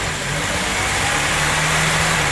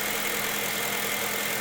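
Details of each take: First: Honda Civic Type R EP3 with a K20 engine, warm after the fast cold idle has ended: high, uneven idle hunting between about 1,500 and 2,500 rpm because the idle air control valve is seized; hunting idle. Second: Honda Civic Type R EP3 K20 idling after fixing and refitting the seized idle control valve that caused rough, hunting idle: even, steady hum with no stumbles, surges or knocks; normal steady idle.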